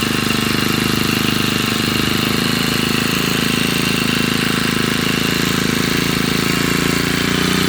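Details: Honda GX35 four-stroke brush cutter after replacing a cracked oil hose (crankshaft seal checked, not leaking), restarted on choke to be left idling about 20 minutes to warm up and check for oil leaks; steady, even buzz, no misses or knocks: normal idle.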